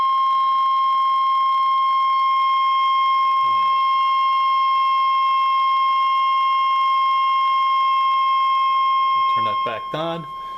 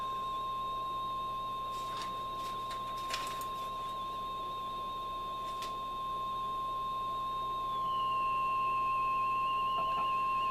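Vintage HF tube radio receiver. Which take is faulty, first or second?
second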